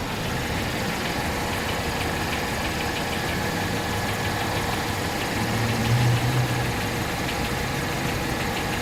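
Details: 2017 Infiniti Q50 2.0t at idle: light, somewhat irregular tapping about three per second above the hum; engine tapping began after the first oil change, cause unknown.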